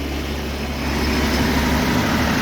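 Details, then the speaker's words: Timberking 2220 sawmill four-cylinder engine at full throttle, about 2,500 rpm: steady, fairly high-pitched four-cylinder drone, smooth and even with no misses or knocks; normal full-throttle running. "This one's got a little bit of a kind of a lower pitch to the actual sound of the engine. It doesn't sound like it's, you know, it's got a nice throaty 4-cylinder sound. I like the way that sounds."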